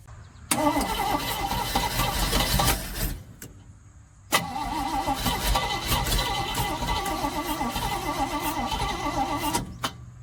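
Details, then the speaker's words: 1971 Chevrolet C40 truck first starting after the distributor cap was refitted correctly and the carburettor cleaned: catches and races at fast idle, drops out, restarts and holds high even speed; manual choke needs adjusting; exhaust is shot. "Choke needs a little adjusting. Idle is very high. After the marathon cleaning, the carb is more effective."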